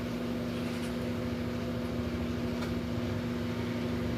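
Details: Philco microwave brought in for noise and not heating: steady low transformer hum with constant tone and fan whoosh, no buzzing or arcing; magnetron working and heating.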